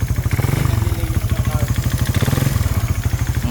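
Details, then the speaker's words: Raider 150 Fi single, connecting rod replaced at a previous teardown, then run hard with an open pipe at New Year: rough, hollow, loud, uneven clatter on every firing pulse at idle; worn piston slapping the bore, before teardown. "Talagang slap."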